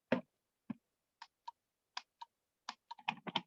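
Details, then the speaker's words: Slot car controller relay in medium-fast mode: short, dry clean clicks in uneven bursts as the relay switches. In mode two (kid mode) the relay never opens at any speed setting. The relay works normally. "medium fast mode you should be able to hear that relay kit all right so if you're in mode two that's kid mode and it doesn't matter where you rotate the speed the speed to it's not it's not ever going to open the relay"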